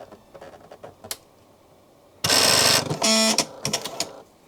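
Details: Husqvarna Viking Designer 1 sewing machine after touchscreen replacement, with something caught now freed: two short bursts of even mechanical whirring with no catch or snag; mechanism runs freely.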